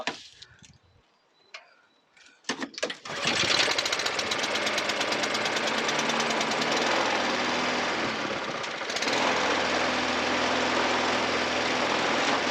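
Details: Scrap Hayter 48 mower with Honda engine, obtained free, choke used for starting: a few sharp pull-start rattles, then catches and settles into a steady even putter with no misses; running fine.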